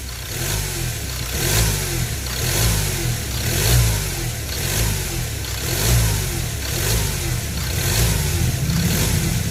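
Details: Ford Ranger T6 diesel after replacing the modified turbo and the failed variable-geometry actuator motor (which had set a sensor code): repeated quick throttle blips, about one per second, rising and falling cleanly without whistle or rattle. The actuator linkage now moves.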